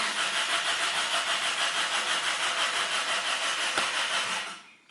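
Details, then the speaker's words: Car cranks but won't start (test 8 of 8): starter turns engine steadily about three turns a second, never catches, then stops; engine not running. Cause suspected, not confirmed. "And now no any starting. Engine, no any engine runs. Only starter runs and rotates this engine."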